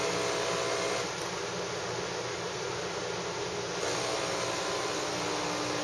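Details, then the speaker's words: Saeco Syntia super-automatic espresso machine making a short espresso shot: steady even whirring of grinding, dosing, tamping and extraction with a constant hum and no knocks or strain; a normal cycle. "for now you'll hear the machine grinding dosing 10 thing and extracting the coffee"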